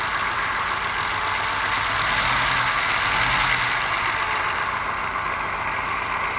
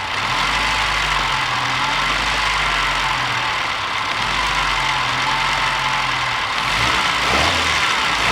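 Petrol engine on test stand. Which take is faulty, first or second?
first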